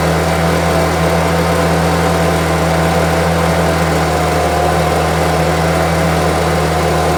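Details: Homelite UT08572 small two-stroke trimmer after restoration holds a steady, even buzz with no surging or stumbling, running smoothly; owner will check whether the earlier tink noise is gone.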